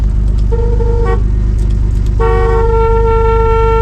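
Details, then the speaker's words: 1979 Pontiac Firebird V6, sitting for years and now running: two steady horn blasts, a short one then a longer one, clear and strong over the idling engine. The horn works. "The freaking horn works! That's so cool."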